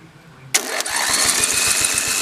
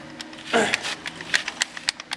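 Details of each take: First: Lawn mower being stripped for a racing build, starter jumped straight from the battery's hot lead: a strong starter whir with even compression thumps about nine a second for three seconds. Normal starter cranking. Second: Starter off an 18 hp Briggs racing lawn mower engine, which struggled to turn it over: irregular light metallic clatter when shaken, a loose magnet knocking about inside the housing.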